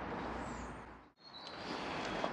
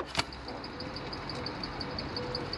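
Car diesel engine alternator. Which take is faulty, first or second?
second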